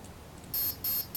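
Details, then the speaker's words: Align T-Rex 500 3G flybarless helicopter, BEC speed controller in programming mode at option 4, aircraft type: three clean high beeps, each about a fifth of a second and evenly spaced, before setting helicopter 1 soft start. "once you hear the full beep start move that to the center position which is helicopter one soft start"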